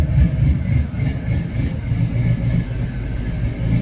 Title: exhaust leak? #automobile